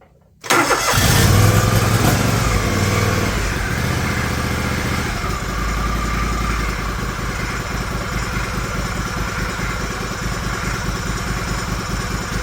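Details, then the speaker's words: John Deere LX178 lawn tractor after a new throttle cable and brake lever, started with choke to check the cable: it cranks, catches within a second and settles to a steady, even idle with no misses. It runs fantastic. "This thing just runs fantastic. I say that now."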